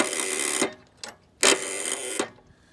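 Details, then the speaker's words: Gravely tractor with a brand-new battery but cheap cables and corroded terminals: at key-on, harsh buzzing chatter bursts of about half a second repeat with no cranking. Solenoid chattering, likely from poor battery supply. "There's definitely that noise is coming out of the solenoid,"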